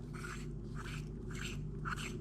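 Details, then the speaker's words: C4 Corvette rear wheel bearing, which had been noisy going around corners. With the hub removed and turned by hand, a gritty rasp surges about twice a second, with wobble and dust coming out; a worn, rough bearing. "Hear how noisy that is, and it's got all that wobble in it."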